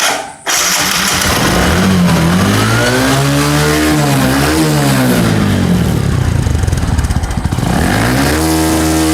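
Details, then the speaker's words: Motorcycle with spark plug gap set wrong (about 0.4 mm) that keeps stalling and won't idle. It fires and revs unevenly, the beat stumbling and sagging with ragged pops from the silencer. Misfire from weak spark due to the wrong plug gap. "और DC में अगर आप देखेंगे silencer से फटफट करके sound आ रहा है, मतलब ये मिसिंग भी कर"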